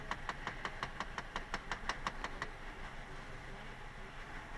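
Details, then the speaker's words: 2012 Chrysler 200 Limited running rough with the check engine light on, scan tool connected. Quick even ticking about three times a second for two seconds from the dashboard; a bad mode position actuator. "we have connection hear that clicking it's got a bad action wooder will write that up"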